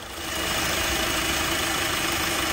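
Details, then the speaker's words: Mercedes-Benz GLC 43 AMG at idle: an even rushing whoosh swells in as the radiator fans kick on; the fans work normally and there is no overheating. "all right there them fans go so we good to go y'all we good to go on this one"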